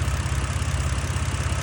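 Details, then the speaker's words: 2011 BMW 328i (E90) idling smoothly with even low pulsing and no stumble after replacing the ignition coil packs; rough running and misfire had been traced to the cylinder six coil. Normal idle after repair. "[Music] [Applause] so all right so smoother now as you guys can hear"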